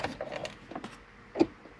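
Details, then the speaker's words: 2002-2010 Ford Explorer with no heat, key at accessory: sharp plastic clicks behind the dash when the temperature is moved from cold to hot; a blend door actuator is suspected, later replaced. "you guys can hear that clicking that clicking sounds like it's a blend or actuator from what i've read online and that seems to be our issue"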